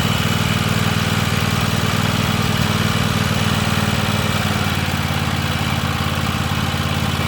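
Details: Free Weed Eater tractor's Tecumseh twin-cylinder (TVT691) on its first run after oiling the cylinders, new oil and oil filter, and refitting the plugs: it started right up, with a steady, even idle putter, no misses, knocks or surging, while warming up; normal idle.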